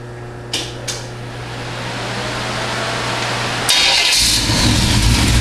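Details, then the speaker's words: Freshly built 350 V8 for a 1978 Corvette with a sizable cam, idling warm at about 950–1,000 rpm, 175°F, 70–75 psi oil pressure, about 7 inHg vacuum: tight, quiet, steady low rumble with slight lope; normal idle. "lesson all that just fires right up B Frain tight and quiet here it's got a nice size cam in it right on about 950 to 1,000 RPM"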